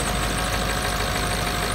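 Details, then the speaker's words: 1996 Ford F250 7.3 diesel, five-speed, cold start at about 28 degrees after glow plug wait: loud steady diesel clatter at even idle, no misses or surges, no check engine lights; healthy cold idle. "and here we go fires up which is always a good sign no check engine lights another good sign"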